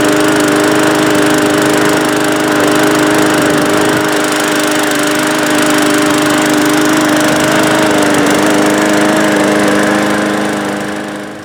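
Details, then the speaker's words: Briggs-powered Bolens lawn mower rescued from the trash, first run after carburetor service with air filter and cover still off: steady, even single-cylinder drone, no surging or sputter; starts first pull, runs okay, probably just hadn't run in a while. "Still runs okay. It starts now on the first pull, and didn't sound like fabulous, but sounded good enough, and probably just hasn't run in a while."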